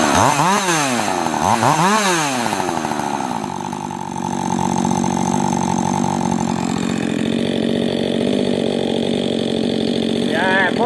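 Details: Husqvarna 562 chainsaw built from three saws, ported intake, transfers and exhaust, autotune, previously wouldn't hold idle: a couple of sharp revs then smooth even idle without stumbling; running right.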